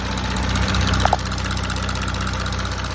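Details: 2017 Audi A5 3.0 TDI Quattro 218 PS diesel idling evenly with a light, fast tick about four per second over the rumble; owner suspects a failing timing chain tensioner, unconfirmed.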